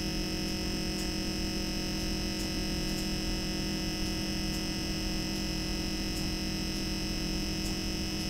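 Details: Brand-new MSI MEG Core Liquid S360 AIO cooler on a 13900K with MSI Z790 board: steady high-pitched pump whine over a low hum with a faint regular tick; pump whine suspected, not confirmed.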